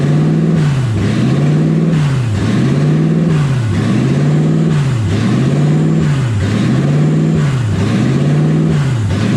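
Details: Toyota 1UZ V8 in a Ford Falcon, driving with new exhaust, warm at about 160°F; engine speed swings up and down under every 1.5 s.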